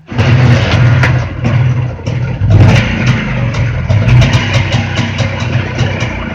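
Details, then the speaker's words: Jawa two-stroke motorcycle engine after repair of an engine knock: its buzz rises and falls cleanly with throttle blips, with no knocking or noise, a normal revving engine. "Ну шума у нас шума у нас нет стука та у нас нет вот"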